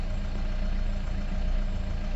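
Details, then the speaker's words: Car bought at auction, sold as totally dead but started once the battery was connected; the cold engine idles with a low, uneven drone and slight stumbling pulses. Owner suspects a damaged engine. Rough running when cold. "look you can hear even cold engine is working not"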